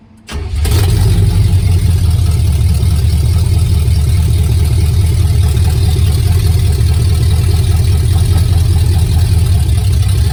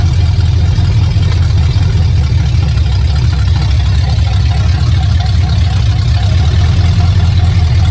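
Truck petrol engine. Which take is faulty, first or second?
second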